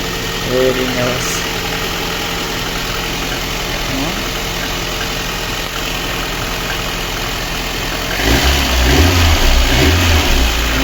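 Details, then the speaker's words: Lada Kalina 1.6 with replacement used engine, previously misfiring with suspected low compression, after repair and cooling system bleed: steady, even idle with no missing; runs quietly on all cylinders. "нічого не троїть все чтенько працює можете послухати як тихенько працює двигун"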